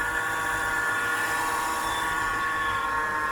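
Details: BMW E46 petrol engine at idle: steady high whine with several fixed tones around one to two kilohertz; A/C compressor suspected, sound seemed more normal when checking it, cause not confirmed.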